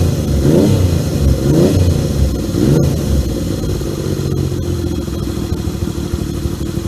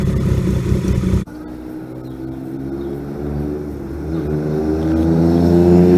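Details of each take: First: 1978 Yamaha XS750 Special triple, first run after a three-week revival, kick-started on choke: fires up, blips cleanly a few times, then settles into a steady, even run with no misses or knocks. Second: 1978 Yamaha XS750 Special triple after a three-week revival (Delkevic exhaust): a loud blip, then an uneven rattle that climbs with revs; source not yet found, owner plans to track it down.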